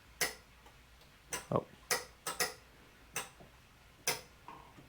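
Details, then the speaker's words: Headlight relay clicking crisply at uneven intervals as the high beams switch on and off on a hot-running turbocharged Honda CRX Si, tested while wiring EFB Motorsport headlight intake ducts; the relay works normally. "You can hear the relay going off. That's the bright. And then let's turn the brights back off."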